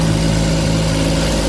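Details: Suzuki DA64/DA63/DA17 with the temperature warning now gone and an overdrive fault still pending: the engine catches and settles into a steady, even idle with a smooth low hum and no knocks, misses or ticks.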